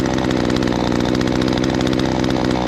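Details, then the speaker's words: Ported Husqvarna 543XP chainsaw, hot and being broken in after restart: fast, even two-stroke buzzing idle, a little quicker than it should be; idle speed set slightly high as the hot engine leans out. "Still not bad. Oh yeah, see, I knew it was high. I can hear it a little bit."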